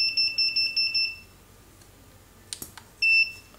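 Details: Godox SK400 II studio strobe, after repair of a sudden total failure, powers up on mains with six quick high-pitched beeps, a pause, then one longer beep, signalling ready normally; normal ready beep.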